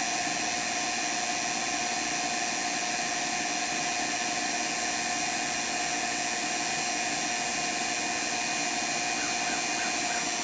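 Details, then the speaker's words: Vacuum pump evacuating a 12k BTU Senville mini split line set in an RV, Schrader valve removed for stronger vacuum, micron gauge dropping: steady high-pitched hum with even airy rush, no surging or knocking; normal operation. "So I'm gonna go ahead and fire it up. So you can see my vacuum level dropping for the moisture level."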